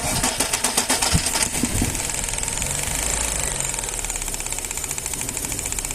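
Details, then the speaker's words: Engine idling on three cylinders with one spark plug disconnected, and a gasoline smell is noted. The idle stumbles with an uneven, lumpy beat and irregular puffs instead of a steady rhythm: a misfire from the dead cylinder. "tambi conectas una bujía el funcionamiento es muy similar también trabajando Únicamente con tres cilindros Pero puedes detectar también un olor a gasolina sin una bujía funciona"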